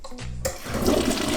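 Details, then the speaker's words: Commercial toilet after flapper valve replacement: strong even rush of water and gurgling drain-down, no seepage hiss afterward; normal flush, repair successful. "You see all the water coming down? This toilet's fixed."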